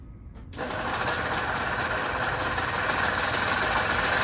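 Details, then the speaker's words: 1970s EZGO golf cart on an evening test drive after the internal starter generator repair: engine catches and settles into a steady, even run with no knocks or misses, and it pulls and drives smoothly. Normal running. "uh this thing driving great it's driving great just like i told you guys it would and it drives well too it runs great and it drives well"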